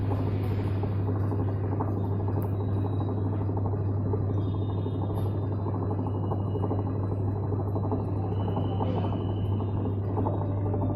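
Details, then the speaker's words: Whirlpool Stain Wash Ultra 6.5 kg washing machine on spin (power program): loud steady low drone with rough rattling from a worn gearbox and bearings (6006, 6205), also leaking water; gearbox, bearings and oil seal replaced; worn gearbox and bearing noise. "Problem gearbox का, gearbox खराब है।"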